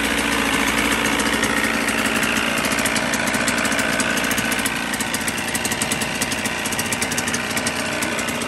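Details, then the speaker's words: 1977 Evinrude 35 hp two-cylinder two-stroke outboard, ignition timing set manually, first start: quick crackly idle beat, mostly even with slight unsteadiness, holding idle on its own; running fine, not yet tested under load. "but the fact that it starts it runs it holds a good Idol mostly you can't really tell how an engine's running until it's under load"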